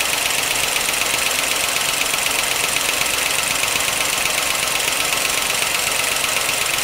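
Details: 1955 Pontiac Chieftain on fresh 10W-40 with Marvel Mystery Oil, always clackety: a fast, even ticking clatter around four a second riding high over a steady idle. It is gross under the valve cover, but a pushrod was not clogged; valvetrain clatter, cause unexplained.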